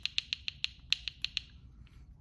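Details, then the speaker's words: Hyundai Genesis Coupe 2.0T (Theta G4KF): sharp light clicks at idle and low rpm from a cracked cam phaser (CVVT) gear; not engine knock. "It sounds like a clicking when it goes bad, almost like if you're knocking, but you get this sound right here. Just really loud."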